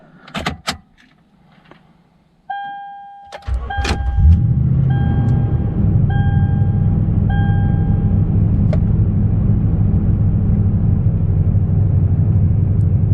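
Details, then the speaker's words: 2013 Toyota Tundra 4.6 V8, 2WD automatic, cold start after sitting overnight on an 85°F day, following a throttle-body clean that cured P2111 limp mode and rough cold idle: a few chimes, then a steady, even low idle without surging. "Way smoother now. So I think that did do the trick."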